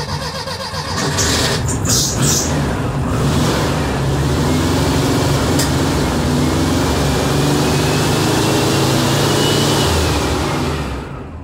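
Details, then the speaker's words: Newly installed 75 A alternator (converted from generator), engine possibly flooded after carburetor sync: catches and revs with a faint thin squeal; belt a little loose and slipping. "okay there was slight squealing but it wasn't that bad I've heard worse okay it's running pretty good um yeah it's a little loose so let's get a squeal"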